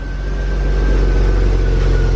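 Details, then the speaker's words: BMW E36 328i at idle right after fitting a full stock exhaust replacing a crushed catless one: smooth, very quiet, even hum; a faint unidentified whine heard from the engine bay; no exhaust problem. "let's give this thing a start and see how she sounds oh oh my god it's so quiet"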